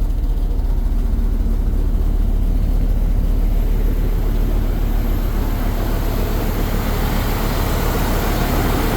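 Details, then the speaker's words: Mopar V10 dually truck after air filter replacement and throttle body cleaning, just restarted: loud run with uneven, stumbling beat, about two pulses a second breaking rhythm; one cylinder misfiring, typical after this work, later smoothing out. "I'm gonna go try to start it up. Got a cylinder misfiring."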